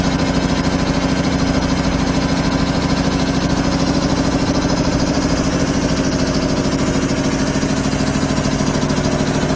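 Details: 25 hp single-phase air compressor, loaded with a valve open bleeding the 120-gallon tank from 150 toward 100 psi: even, rapid thumping about 200 beats a minute, no knock or miss; normal loaded running.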